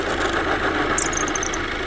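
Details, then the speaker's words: Engine running with the accessory belt drive disconnected: steady, even, quiet idle with no chatter or rumble; the squeaking noise returns when the belt is reconnected, showing the belt is the noise source. "지금 은 엔진 만 작동 중 입니다 . 엔진 만 돌아가고 있다 ."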